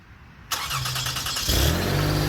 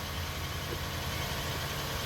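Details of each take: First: 2004 Toyota Sienna, start and idle: engine catches then runs with loud raspy hiss and puff, louder at the front than rear; exhaust leak at the suspected original factory Y-pipe, fixed by replacing the Y-pipe. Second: 2004 Toyota Sienna after replacing leaking front Y-pipe exhaust (previously louder at front): smooth even low idle rumble, no puffing or ticking from front; exhaust leak fixed, normal idle.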